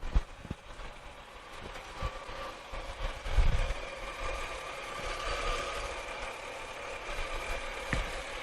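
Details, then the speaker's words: 2006 Pontiac Torrent Copart rebuild, running while the cooling system is still being burped (bubbles rising), service oil, ABS and traction control lights on: steady, even idle with a low hum, no knocks or misses; normal idle. "so she's a running still got to belch the system you see the bubbles keep just keep on going he's gonna be going oh wow but she sounds good looks good"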